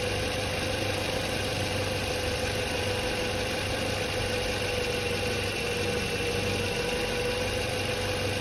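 Steady, even idle with only a faint constant whine and no squeal, grinding or rattle; alternator sounds healthy.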